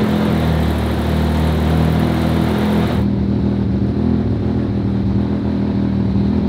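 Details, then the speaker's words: Audi RS4 sedan with 2.0 engine, warm start during smoke diagnosis: steady, even idle, smooth low hum, no stumbles or hunting; running noticeably smoother, normal warm idle. "also gute Nachricht ist wie ihr hört läuft da schon deutlich schöner"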